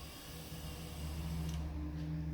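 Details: Sybron Thermolyne Type 1000 stir plate (SP A1025B) under repair, heat element stuck on: quiet, steady low hum with a faint even whine, no rubbing or clicking; the stir motor turns smoothly.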